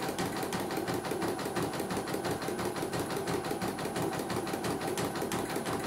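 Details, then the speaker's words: CNY embroidery machine sent in from Mojokerto, the second unit (no faults found, reset): even, rapid needle ticking at about three strokes a second with no clunks. It runs very smoothly and stitches neatly. "Oke, mesin sangat lancar ya ini."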